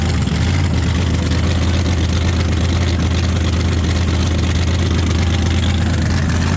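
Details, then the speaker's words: Race car V8 warming up at idle after replacing bad axle bearings that leaked 80-90 gear oil: deep, steady lumpy idle with no knocks or grinding, idle smooth and gear temperature staying good. "I think we got something to work with now yeah so idle smooth and gear temp stays good while it's running"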